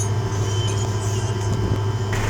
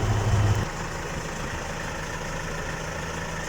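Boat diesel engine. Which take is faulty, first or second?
second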